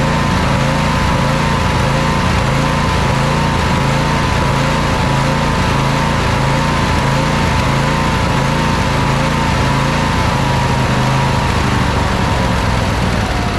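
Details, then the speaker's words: Craftsman YT4000 riding mower, 24 hp 724cc Briggs & Stratton V-twin, cutting in and out; sprayed for air leaks, fuel solenoid checked, before plug swap and carburetor replacement: loud drone rising and falling about every half second, with popping and crackling; surging. "it sounds like we're still getting a little bit of surging from the thing uh still getting a little bit of popping and crackling"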